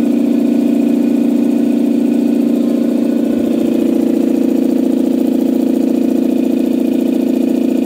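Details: Campbell Hausfeld 2-cylinder air compressor on its test run after a head gasket replacement (new gasket with a dimple drilled for the divot). It had only pumped to about 5 PSI. Steady even thump about 3.5 per second, smooth hum, no hiss or knock: fixed and healthy.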